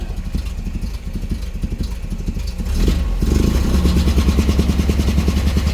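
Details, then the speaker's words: 1986 Nissan pickup with a non-original engine, leaking oil: lumpy, uneven chuffing at idle, ragged and clattery when revved; rough running, owner suspects overfueling. "But if I don't have a fuel regulator, I might be overfueling it."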